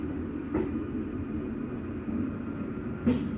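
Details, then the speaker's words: 2017 Keystone Cougar 337FLS fifth wheel slide-out closing: steady low motor hum, then short grinding bursts as the mechanism stops itself at full travel. Normal, heard on nearly every unit. "I did want you to hear that noise one that's just a slide mechanism telling itself not to come in any further so it makes a little grindy noise you hear it on every unit ever made just"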